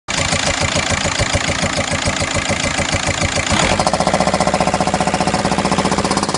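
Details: VW Golf 5 at idle: sharp rapid metallic knocking at a fast steady rate, same whether hot or cold, disappears after 2-3 minutes of running; cause unknown to owner; engine knocking at idle.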